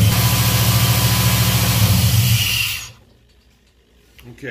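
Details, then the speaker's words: Black Pearl pickup after a TBI throttle body rebuild, first start with about 10 psi fuel pressure: a low, uneven pulsing idle of three to four beats a second, then it dies away. Choppy because the MAP sensor vacuum line was disconnected. "the reason it was so choppy when i started it up last night was didn't have the map sensor vacuum line h"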